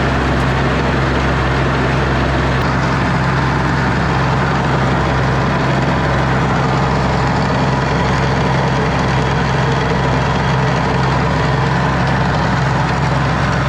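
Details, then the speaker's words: Ransomes Jaguar 4000 diesel commercial mower, 1980s-90s, sat 20-25 years in junkyard, hydraulics rebuilt with new O-rings and seals: constant low diesel drone at even speed throughout, no knocks or misses; running properly. "all right seems like everything is working pretty good so far"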